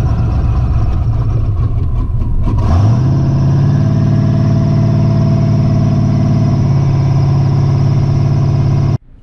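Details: Twin-turbo Ford Ranger on E85 with revised tune, 4L80 transmission, first drive, power steering not hooked up: steady deep drone rising smoothly through a gear, even, no misses or knocks; engine pulls cleanly.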